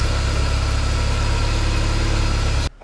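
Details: 1995 BMW E36 318i at idle after replacing the auxiliary drivebelt deflection pulley next to the alternator: a steady, even low rumble with the previous squeal gone, a smooth healthy idle.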